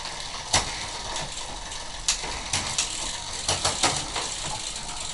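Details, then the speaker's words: Road bicycle after fitting a new rear derailleur and reinstalling the chain's master link correctly: light ratchet ticking and crisp shift clicks, no grinding or chain rattle; drivetrain now quiet and correct. "a lot more quiet and this is how it's supposed to be"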